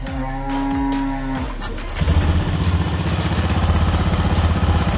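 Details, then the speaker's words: Honda BeAT eSP after CVT teardown for repeatedly snapping drive belt, rough noise and inability to ride: low, steady engine putter about four beats a second, smooth and even, no belt-drive rattle; normal idle. "oke teman-teman ya suara halus"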